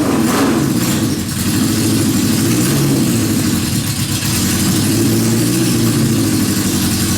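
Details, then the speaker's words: Suzuki GS650 cafe/bobber four-cylinder, engine rebuilt on the bench, carbs cleaned, small cheap battery; loud busy, fairly even idle with small rev blips and no knocking, normal running, though oil leaks found afterward. "We rebuilt this engine on the bench in the laundry room, cleaned the carbs, hooked up the smallest battery I could find, the cheapest one from the Jungle website, and uh it actually runs."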